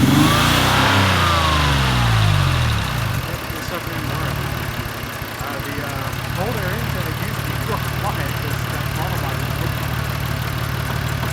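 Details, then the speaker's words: 2003 Mazda 6 just after throttle body replacement: revs fall to a low, uneven idle with a stumbling misfire from a still-unresolved spark plug and coil pack issue; throttle response now fixed. "as you can probably hear, the car still has a misfire. There's a spark plug and coil pack issue to be resolved, but this is just for the throttle body for now."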